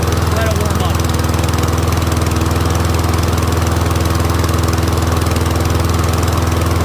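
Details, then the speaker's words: Troy-Bilt Briggs & Stratton rear-wheel-drive mower after ultrasonic carb clean, warming up; even single-cylinder putter at about 200 beats a minute, holding steady; idling cleanly. "I'll let it warm up and I'll see if the pitch changes. Motor's running good."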